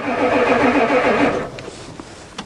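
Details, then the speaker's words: Ford diesel truck at +4 °C, brief strong even crank of about 1.5 s, no catch, after installing a new glow plug controller that never clicks; owner suspects the controller doesn't work. "It actually fired a little. Here we go again. Try again. It's cranking good."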